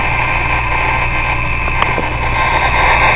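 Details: Hard drive whose heads were stuck, spun up after being hit: loud continuous grinding hiss with steady high tones while spinning; mechanical failure, suspected bad spindle bearings.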